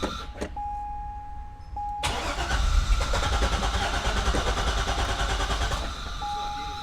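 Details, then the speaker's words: Wrecked Chevrolet C6 Corvette Z06, after a new key-fob battery let it crank: warning chime, starter cranks, it fires with a brief rev, then dies, which it had never done before. Fuel pressure to be checked. Crank with brief firing, no fuel delivery. "It wouldn't even like fire. Now it fired. Now it gave itself a little vroom."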